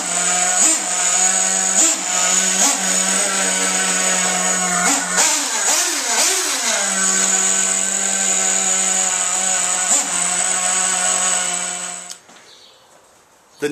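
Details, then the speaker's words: Losi 810 nitro RC buggy just started: fast high-pitched idle with brief blips, clutch bell not engaged, idle stop fine, worse as the engine warms, then shuts off; owner suspects an air leak. "it just sounds like it has a leak let's take a listen listen for the high idle in a second it gets worse the warmer D engine get I just started"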